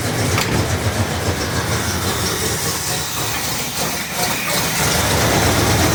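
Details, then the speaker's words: 1968 Cadillac DeVille V8 running on its own after a no-start, fixed with a new negative battery terminal, wiring repair, cap and rotor: a steady, even rumble with no misses. The carburetor was being adjusted, so it may run slightly rich. "okay so it's running um I was messing with the carburetor so it may be running a little bit Rich right now but it's running"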